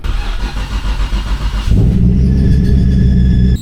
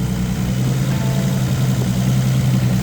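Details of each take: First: Nissan Skyline GT-R during power steering fluid leak repair: engine catches and idles with thin steady high squeal, belt later found wrapped around the fan. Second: Nissan Skyline GT-R at steady low idle with an even rumble and no squeal or chirp, after the alternator belt, hoped to be the squealing one, failed and was cut off; power steering fluid leak still being chased. Engine sounds healthy.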